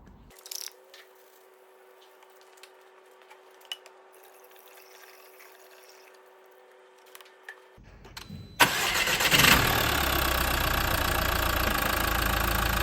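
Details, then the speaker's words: 2015 Mercedes A180 1.5 CDI diesel, Renault K9KF452 engine, on a ramp: brief crank after fresh 0W30 oil and new filter, catches right away into a steady, even idle, run a few seconds to circulate oil; no knocks or rattles, healthy. "It's just had that running there just for a few seconds. It's about 10-15 seconds really is ideal, just to get it pumped around quick."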